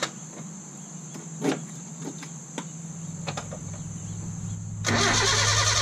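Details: 1972 Datsun 1200 coupe started after sitting a long time, with a suspected rod knock from the last run: cranking clicks, then it catches and a loud high squeal rides over the idle from a very loose fan belt.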